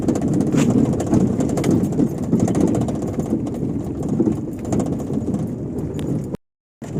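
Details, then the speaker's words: Fiat Uno 2011/12 while driving, even on asphalt: light irregular tapping rattle like a loose window or door banging at the passenger door, actually a loose cable slapping beneath the car. "esse barulho aí que fica parece que tem um vidro solto parece que a porta está batendo mas não é"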